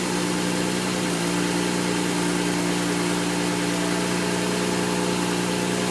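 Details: N54 engine misfiring at idle, logged with an IPNA video log: the idle runs uneven and lumpy with an irregular stumble and skipped exhaust pulses. The cause of the misfire is not yet found.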